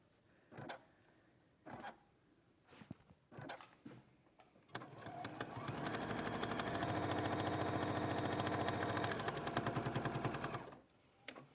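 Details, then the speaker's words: Sewing machine foundation paper piecing, sewing along the line between sections four and seven: a few taps, then a fast, even run of stitching clatter at about three to four stitches a second. Normal machine stitching. "Fabrics right sides together double check and then sew along that line now between four and seven"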